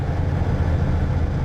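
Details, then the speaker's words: 1978 Ford LTD V8 at idle: a steady rumble with a light loose rattle up front. The owner suspects the AC clutch or pulley spinning freely; the AC may not work. Not confirmed. "fires up pretty good I don't know if you can hear that rattle"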